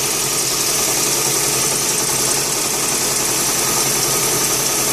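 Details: 2001 Ford Fiesta MK5 1.25 Zetec with uneven, lumpy rough idle, loose stumbling beat and hissy top end; misfire from no compression in cylinder 2 and very little compression in the others.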